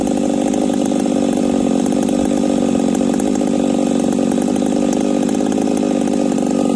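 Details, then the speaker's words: Chainsaw with new bar and first spun chain, after carb adjustment: held at high revs with blubbery, uneven stutter instead of clean scream, still sounds rich and breaking up; owner suspects the coil. "it still sounds Rich at 5H and still sounds like it's breaking up"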